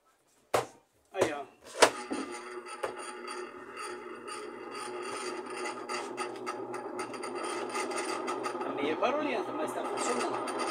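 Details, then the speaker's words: Old Miller spin dryer (centrifuge) after replacing the faulty capacitor with a 25 capacitor; it now starts. Motor knocks, then spins up into a rough, scraping whir that grows louder; source of the noise unclear. "quanto a esse barulho pessoal eu ainda posso desmontar Esse motor inteirinho e procurar Tirar o barulho"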